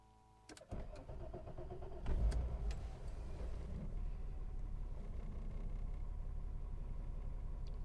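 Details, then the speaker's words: VW Corrado at the start of the season, right after a fresh set of spark plug wires: the engine catches after a short crank into an uneven, lumpy idle. It sounds like a misfire. Wires were suspected mismatched, and one was found loosely attached; it still ran badly after reseating. "This doesn't sound right. It sounded like I had mismatched the wires or they aren't attached."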